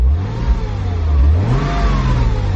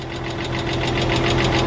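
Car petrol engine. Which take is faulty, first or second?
second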